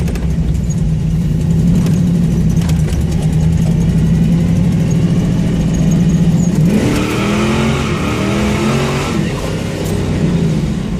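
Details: Engine revving with raspy puffing over the exhaust note rising with throttle; exhaust leak, though the vehicle still performs.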